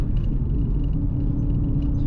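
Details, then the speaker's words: Holden VT with 3.46 diff ratio, nearing 300,000 km, cruising at about 80–100 km/h, roughly 2,300–2,400 rpm at 100 km/h: a constant low drone under the road rumble, from a noisy rear diff that is loudest around 80 km/h. "as you can hear that diff is quite noisy hopefully you can hear it anyway slow down to 80k and air i think is this noisiest sort of in this region"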